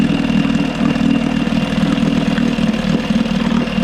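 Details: Johnson 6 hp outboard after fuel pump replacement and carb removal for cleaning: putts along at fairly steady idle, firing regularly about four beats a second, no obvious knocks or misfires.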